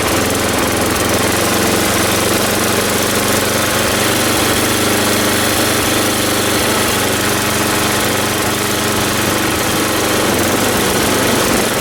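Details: Ariens 824 snow blower, Tecumseh HMSK80 engine, after carburetor repair (jets cleaned, float bowl and gasket replaced; owner believes an air leak at the old gasket caused surging): one steady buzzy speed throughout, no hunting.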